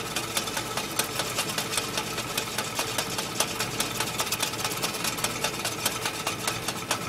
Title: Willys MB Maltournee Clutch Rattling Noise